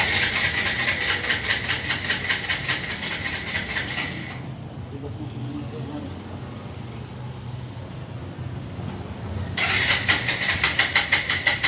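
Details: Suzuki Gixxer motorcycle that would not start, after fuel filter replacement for a rusty, water-contaminated tank and new spark plug, despite check engine codes: fires up and revs cleanly, dips to steady idle; sounds healthy.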